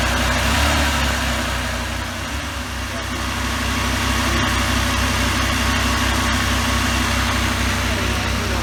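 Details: Friend's 1984 Pontiac Trans Am V8 with 5-speed, a barn find starting for the first time in years after a hard cold start: steady low V8 idle with a slightly uneven pulse, still rough and not fully settled.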